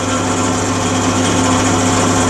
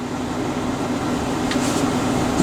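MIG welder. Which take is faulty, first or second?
first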